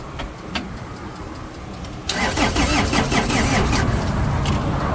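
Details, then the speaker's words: Laymor sweeper after preheat with jumper wire: slow, labored cranking under three compressions a second that never catches; battery weak, not fully charged, dragging the starter. "the battery is still a little dead didn't charge very good didn't get a full charge"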